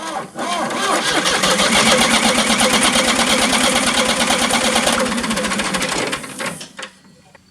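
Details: Ford New Holland LX865 skid steer, 65 hp turbo three-cylinder diesel with water-contaminated fuel: starter cranks about six seconds with even compression but no start after filter priming; injection pump later sent for rebuild.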